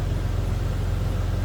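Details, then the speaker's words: 2000 Jeep Cherokee Classic 4x4, 4.0-liter inline six, new muffler: smooth even low rumble at idle with no knocks or misses; healthy. "Sounds as you'd expect. Again, that inline 6-cylinder, 4-liter."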